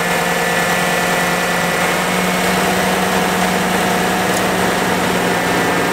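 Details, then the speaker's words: 2014-2019 Chevy Silverado/GMC Sierra idling: loud, even rushing roar that never drops; radiator fan running constantly on high, which happened while the faulty coolant temperature sensor was stuck reading 160; clip from new-sensor test. "before it was stuck on 160 and the fan ran continuously while the truck was on so now the new one's in here"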